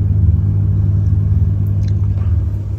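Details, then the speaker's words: Old Glowworm boiler that had no pilot light, after its clogged injector was cleaned out with a needle: steady, even low burner roar with no popping, flutter or surging. It is lit cleanly and running normally. "all back up and running. Obviously, it's quite hard for you to see. Obviously, it's quite hard for you to see with the camera."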